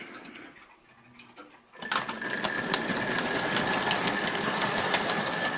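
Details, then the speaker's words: Dublo 3-rail OO gauge Royal Scot locomotive, converted from a 2-rail Wrenn model, running after wheel cleaning and oiling: steady clunking of about three beats a second; quieter upside down on the bench, possibly from the valve motion, cause unknown. "it still seems to make that annoying sort of clunk clunk as it goes around"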